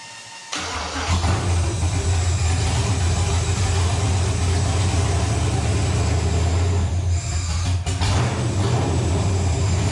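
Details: Nova engine, restarted after six months of troubleshooting, with readings around 300-400: catches and settles into a steady, even, deep drone with no knocks or misses. Runs clean; a possible wiring issue remains.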